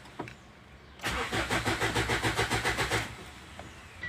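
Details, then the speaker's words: Ford Endeavour crank-no-start: starter turns the engine evenly at about six beats a second but it never fires. It starts right up with a little petrol in the air intake; low rail pressure from injector 4 return flow is suspected. "is anytime you try to try to start it it will not start but whenever we give a little petrol it will start right up"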